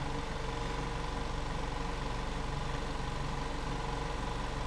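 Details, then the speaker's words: 2014 VW Jetta 2.0 with extended crank, raw fuel smell and smoke, and a flashing check engine light. Steady idle has an uneven loping beat and the misfire counter shows cylinder 2 only (P0302). Cause is a leaking fuel injector. "car started up extended crank misfire counter on cylinder 2 no other cylinders [Music] there is ton of smoke smell the fuel definitely misfire"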